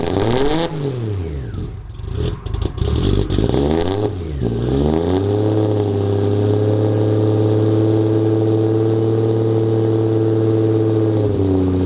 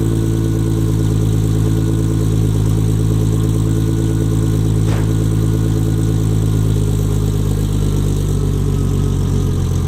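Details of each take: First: Nissan 240SX S14 with RB25 and starting issues, fitted with a forklift starter: heavy, slow whirring crank rising and falling into a steady loud drone, truck- or forklift-like; loud diesel-like starter cranking, works for now. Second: Nissan 240SX S14 with RB25 engine, after fitting a forklift starter to cure starting problems, car still jacked up: starts, then a steady, even low idle rumble with a smooth firing beat and no knocks or misses; the starter itself sounds odd.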